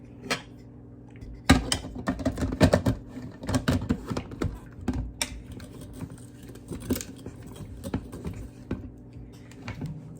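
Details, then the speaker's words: Cuisinart Food Spiralizer cutting a russet potato with the holder on a spiky setting: irregular crunching and scraping bursts as the crank turns, with no steady cutting. The potato won't advance and the blade just chews through it; the wrong holder setting jams it. "so this is what's going on the potato is not moving which it said keep it in a vertical position and it's just kind of like chewing through"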